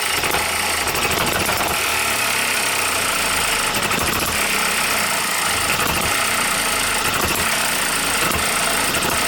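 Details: New OKMO Microcosm M92 miniature hit-and-miss engine, first run on Zippo lighter fuel with a few drops of outboard oil: busy mechanical clatter with sharp firing pops every second or two between coasting strokes; running properly.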